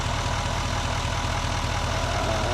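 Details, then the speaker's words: Duramax L5P diesel idling after harmonic balancer replacement, small vibration now gone: steady, even idle with a smooth low rumble and no shake or knock, idling much better; normal idle. "Feel how it's spinning nice and free. That's how it should be. The thing is idling much better."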